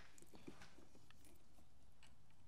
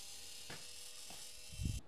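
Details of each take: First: VW CJAA common-rail TDI after fuel filter replacement: filter housing filled with diesel to top of filter, primed without scan tool; sudden high electric whir settling in pitch as the pump primes normally to purge air before the CP4 high-pressure pump. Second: VW CJAA common-rail TDI (CP4 high-pressure pump), priming after fuel filter change without scan tool by jumping pump power: thin steady electric buzz with soft clunks, pump runs but only wets filters; suspected lost prime from air ingestion, not pumping.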